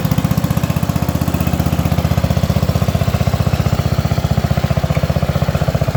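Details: Allis Chalmers B210 garden tractor, unused about a year, after battery charge, fresh fuel and carburetor bowl dropped: single-cylinder thumping at steady, even beat, no misses or knocks; clean, healthy idle.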